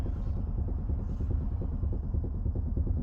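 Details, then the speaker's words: 2004 MG ZT-T+ 180 2.5 V6 automatic estate, 94,340 miles, at idle: low uneven buzzing rattle over the V6 rumble as the exhaust, likely adjusted too close, vibrates against the floor pan; exhaust rattle against floor pan. "the exhaust vibrating off the chassis, so I suggest that that's been adjusted and it's just a bit too close to the floor pan of the car, because on idle you can just hear it going."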